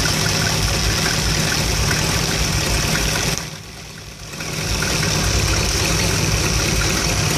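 Warm V8 idling with a lumpy, irregular pulse about three or four per second and a brief sag midway; rough idle, cause unclear.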